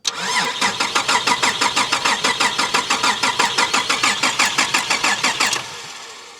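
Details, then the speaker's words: Holden VR Commodore manual project car: starter cranks steadily at about three beats a second with sharp clicking on every stroke and no catch; clicking crank-no-start, BCM suspected, not confirmed. "You can hear something clicking."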